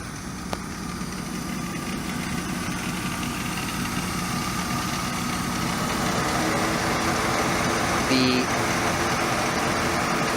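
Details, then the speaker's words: 1999 Pontiac Trans Am LS1 V8 (tuned up a couple years ago, new belts, coolant flush, low recent mileage) after a remote start: steady, even idle with a deep, smooth exhaust burble, no misses, knocks or ticks; normal idle. "so you know it's a great running car it got me back and forth to Minneapolis"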